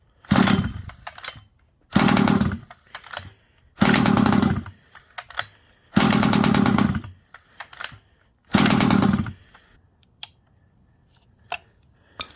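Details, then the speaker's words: Rovan Baja 5b 1/5-scale RC two-stroke, neglected, fresh fuel, line purged, choke then off: catches and buzzes about a second then dies, repeatedly; idle set too low, more idle screw added. "Added some more idle screw in there. Let's try it now."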